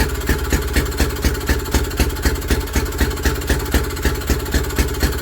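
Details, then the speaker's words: Villiers WX11 engine on first start after carburettor work, never previously running for its owner, cold-start lever set, points cover off, little petrol in the tank; steady, even single-cylinder putter with no misses or knocks; normal running. "Just get her up to temperature. Aha, but she runs."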